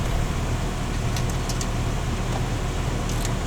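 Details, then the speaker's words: 2005 Jeep TJ after an HVAC rebuild (heater core, A/C lines): the blower, which previously would not change speed or vent location across its 4 speeds, now gives a steady, even low hum on a very slow low speed, with no squeal, ticking or rattle. "yeah, she's doing what she's supposed to now. And see, low is really low. I mean, that's like a slow motor speed."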